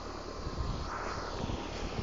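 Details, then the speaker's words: 2014 Grand Aire 2-ton 13 SEER straight-cool central AC condenser, heard from behind the unit on a day in the 80s °F: quiet even fan rush with a soft hum and no rattles; runs smoothly. "and I'm back here now, and I can just barely hear it. It's nice and quiet."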